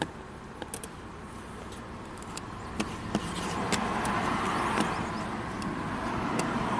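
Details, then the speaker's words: 2005 Chrysler Crossfire revved from idle after crankshaft position sensor replacement, crank signal rising to ±60 V; engine picks up smoothly and revs cleanly without stumbling or cutting out; stalling fixed, normal revving. "So this car is fixed, at least the unpredictable stalling problem."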